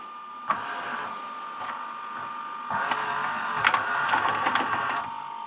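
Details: LG RCT689H DVD/VHS recorder (2011): steady light whirr of the tape transport with small irregular ticks, no squeal or chatter; tape runs normally.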